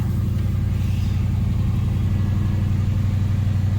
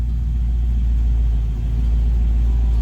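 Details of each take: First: Chevy Nova V8 on newly installed Holley Sniper EFI, after fixing a leaking fuel line splice: steady even idle sitting noticeably faster than normal warm idle; idle running high, cause unknown. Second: Chevy Nova V8 on Holley Sniper EFI after fuel leak found, idle adjusted down: TPS 0, IAC 2–10%, 850 rpm; deep steady rumble with no stumble or hunting, sounds healthy.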